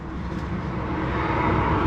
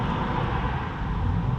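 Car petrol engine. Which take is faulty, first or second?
first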